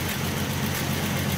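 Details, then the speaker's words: 1967 Mustang 200 cu in inline six, first start after sitting about 20 years, after electronic ignition, new coil, plug wires and fuel filter: even, steady low idle, smooth regular beat, no knocks, no rod noise, oil pressure good; normal idle. "So there she is after over 18 years. I think it's closer to 20. She's just running. You just can't kill these old inline sixes."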